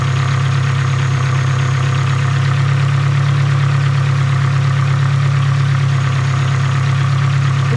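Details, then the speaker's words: Nissan SR20DET (S13/180SX/240SX) idling after an intake plenum gasket replacement: a steady low idle with a faint, thin, high whistle from a vacuum leak low in the engine. The owner suspects the throttle body gasket. "where is it coming from so i'm here a whistling sound down here [Music] i think it's a throttle body i think it's the gasket on the throttle body"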